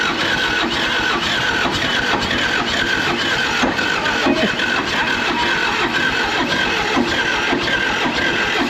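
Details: Military John Deere 450G dozer, 300 original hours, running after clearing a restricted ether nozzle: dense ragged clatter with constant harsh grinding over an uneven diesel beat; internal engine damage, owner suspects valves out of adjustment among other causes.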